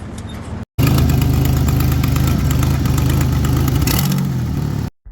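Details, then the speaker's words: 1989 Ford Bronco II, 2.9 V6, 5-speed manual, before repair: loud, raspy puffing at idle with a sharp tick on every firing pulse, from an exhaust manifold leak; the manifold and gasket are to be replaced. "that's right we're talking about the the the the manifold disgusting horrible sounding you can't pretend like it's cool"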